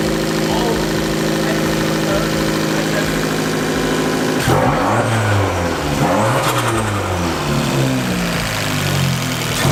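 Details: Fiat 500 Abarth after fitting a Forge blow-off valve, PCV and intake refitted: even running, then a few sharp revs that rise and fall cleanly with no stumble or rattle; the engine runs perfectly fine and sounds different.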